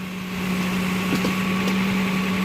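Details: 2009 Toyota Land Cruiser GXR 1GR V6, left side of engine: steady idle with low hum and faint quick puffing from an exhaust leak, checked at the manifold and below.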